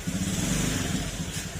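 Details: Honda Beat FI scooter after repair of two weeks of misfiring, stalling and hard starting. Road test: even, continuous engine drone holding steady as it pulls away, no stumbles, pops or cut-outs; runs clean.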